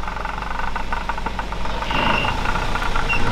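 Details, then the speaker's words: Old Mercedes W124 idling, original with genuine mileage: steady idle with a light, quick rattle from the belt end, diagnosed as a worn accessory belt tensioner damper, an inexpensive replacement; the only unwanted noise, otherwise healthy. "Тропа е много амортисьорчен обтегача на пистовия ремък, ама то е 30-40 лева. Смените. Това е единствено звук излишен."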